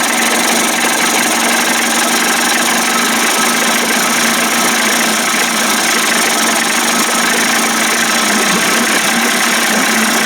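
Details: Johnson 25 hp two-stroke outboard converted to 30-35 hp with larger carb and 72D jet: steady, even idle with a smooth unbroken buzz and no misses or surges, running cleanly on its own without the roller touching the cam.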